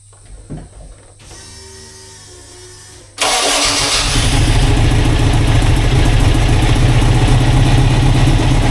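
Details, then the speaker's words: Turbo VW Beetle project engine after refuelling (had run out of fuel): quiet cranking, catches, settles into steady even idle with clean rev-ups; runs and sounds good, though an oil pump fitting is leaking oil. "Anyway, I've got oil on my foot, but it's running and it sounds good."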